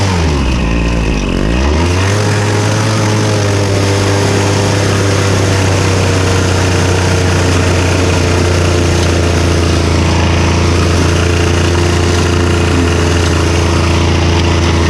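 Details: Victa Super 24 / Super 600 70-series two-stroke mower, after its carb was split and cleaned and given new fuel, on its first mowing job in about a decade: strong, steady buzzing run with an even note and no misfires, running normally.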